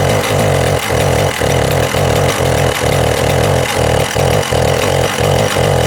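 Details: Husqvarna 372XP two-stroke chainsaw with pickup and starting problems, before tuning the carburettor L, H and LA screws: the idle stumbles about every half second instead of holding a smooth note. Rough idle; cause suspected, not confirmed.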